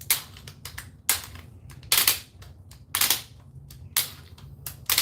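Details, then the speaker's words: Makita XGT cordless drill: sharp rattling click bursts about once a second while the chuck won't drive under load; the clutch is slipping because it is set to a screwdriving clutch setting. "it's not supposed to make that noise and I'm not that strong but it just what the heck man what do you guys think about that is that something that uh should happen here"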